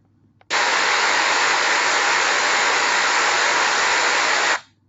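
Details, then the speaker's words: Industrial blower bearing, ultrasound measurement after replacing a bearing with an inner-race defect. Smooth, even rushing hiss with no knocks, clicks or roughness, unlike the earlier defective-bearing readings; healthy bearing. "And after the bearing replacement another measurement was recorded and it showed a smooth rushing sound compared to the previous measurements of the defective bearing."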